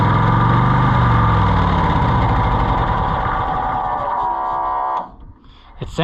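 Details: A Cushman Truckster bought at auction runs smooth and even with a steady beat and no knocks or misses, then shuts down cleanly; it sounds healthy after it earlier fired on starting fluid but would not keep running.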